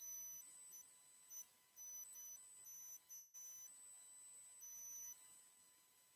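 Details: Microphone squeal on a livestream: thin steady high whistle with a couple of tones switching on and off over quiet hiss; the problem was thought fixed the day before, and the owner wonders whether a fan or his hearing aids cause it. Cause unconfirmed.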